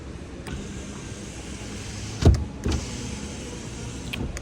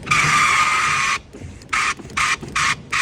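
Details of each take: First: 2021 Kia Forte rear power window rolling up after cutting out two loose material flaps that caused a screech going up: low, even motor hum, no screech, a couple of soft thumps. Normal power window operation. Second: 2021 Kia Forte driver-side rear power window: loud high-pitched screech when rolling up, silent going down; a loose flap of material inside the door pointing down rubs the glass; tucking it back up stops the noise.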